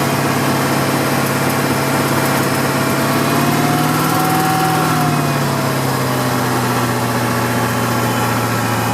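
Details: BMW M60 V8 idling: a light, fast tick rides over the hum as revs rise and fall slightly, sharp ticking from under the engine; source still unknown.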